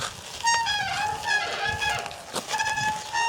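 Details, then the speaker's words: Motion Formula electric bike after a year of use: front and rear disc brakes give repeated high squeals near 900 Hz on each application, even with light pressure and louder at higher speed. The worn pads were then replaced. "Bạn có thể nghe thấy chúng bắt đầu kêu cót két ngay cả khi chỉ nhấn nhẹ và ở tốc độ cao hơn, tiếng kêu sẽ càng to hơn."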